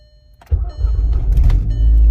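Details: VW GTI back after an oil leak repair and rebuild with Neuspeed FMIC, intake, charge pipes, K04 turbo, Golf R pistons, new valve train and water pump, key start: engine catches cleanly after a half second and settles into a steady, deep idle without knocks or misses.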